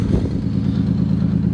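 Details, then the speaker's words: Wrecked 1990 Nissan 300ZX first run on rigged fuel supply, no mufflers: loud raw steady idle with no misses plus a faint light rattle; slight tick and smoke noted, fuel leak. Loud idle with slight rattle. "it sounds pretty consistent doesn't really sound like it's missing it's rattling a little bit"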